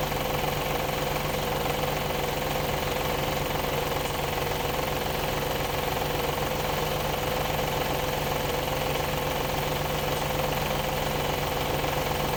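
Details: Audi A8 D2 with the ABZ 4.2 engine at idle, drive belt removed for diagnosis: a regular light knocking at about four per second. The whole front timing cover was loose with a bolt missing from earlier work; refitted with thread sealant.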